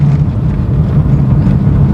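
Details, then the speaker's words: 2012 Chevrolet Corsa driven slowly at about 20 km/h in fourth gear after the front-wheel clicking was fixed: low, even road rumble with no clicks or knocks from the front wheel; runs quiet. "praticamente que 20 por hora E aí e nenhum barulho nem nem um instalado nada"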